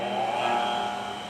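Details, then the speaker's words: New Delta 6-inch variable-speed bench grinder on lowest variable setting: smooth, even motor hum, quiet with slight vibration; normal running. "sounds good. Nice and quiet. Got a little bit of vibration I'm hearing. And I'm on the lowest variable setting."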